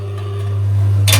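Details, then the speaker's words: Rocket espresso machine with rotary pump, water level indicator showing nothing: steady low pump hum drones on while cups on top rattle, boiler keeps filling; pump runs on until it finally senses full and stops. "and the pump keeps running here now it's stopped"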